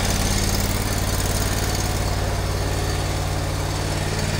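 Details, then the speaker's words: eXmark lawnmower after belt work at the spring tensioner, engine idling with a steady, even beat, no squeal or dry rumble; sounds a whole lot better: normal running. "okay i'm gonna see if it sounds any better sounds a whole lot better"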